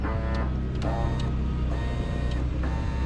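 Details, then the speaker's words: Scag Windstorm blower, brand-new OEM nozzle motor: short bursts of buzzy motor whir starting and stopping under the blower drone, nozzle not turning; motor suspected stripped inside. "That doesn't sound good. There it goes. It's the motor's It's gone motor already. stripped out inside, I feel like."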